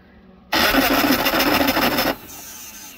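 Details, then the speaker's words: 1987 Suzuki Samurai tin top with 2.0L engine: harsh raspy grinding whirr about 1.5 seconds, starter making lots of noise and barely turning engine; owner unsure if it's bypassing or internal starter fault, unconfirmed. "yeah it definitely didn't change anything that starter still not quite right I don't know why still makes a lot of noise barely turns the engine"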